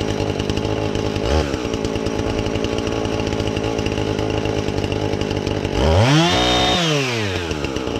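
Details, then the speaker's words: Husqvarna 450 X-Torq chainsaw that wouldn't run, new chain and bar fitted, started to check and adjust the carb (special adjusting tool bought): runs evenly, then revs cleanly up and back without stumbling, crisp throttle response; normal running. "so I'm gonna start this up and see if we can adjust the carb on it I haven't really I just fired it for a second make sure it'll run"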